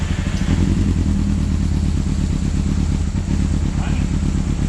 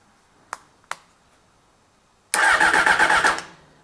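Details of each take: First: 1995 Honda CBR600F inline four, just started after sitting a very long time, with WD40 added and the fuel pump not pumping: an even, quick warm-up idle with a steady pulse, a slight rise and no ticking or clatter; it sounds healthy. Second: 1995 Honda CBR600F that sat a very long time, on a battery of doubtful charge: two clicks, then about a second of quick, even starter cranking without catching; a test plug shows weak spark, and it cranks but won't start for lack of fuel.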